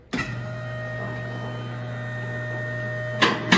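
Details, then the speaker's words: Alignment lift raising a car after the raise button is pushed: a steady, even motor hum at constant pitch with knocks at the end. The clicks are the locks engaging, and the lift is running normally. "you'll listen for the click sound that's the sound of the locks"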